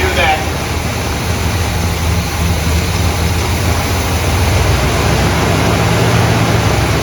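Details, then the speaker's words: 1972 Buick GS Stage 1 SunCoupe: uneven, lumpy idle with a low rumble that never settles, after brake-clean test; possibly throttle plate gasket, fuel problems noted; cause not confirmed, sent to builder. "Something's not right on this thing, as you can see."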